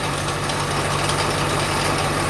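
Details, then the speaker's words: 2001 Ford F250 7.3L diesel just started after a slow, glow-plug-assisted crank, idling: clattery diesel with a rough, steady rumbling whir and rattle from the front; failing A/C compressor pulley bearing. "Okay, it's noisy. You can hear some of this noise up here. You can hear our air conditioner compressor pulley ready to grenade."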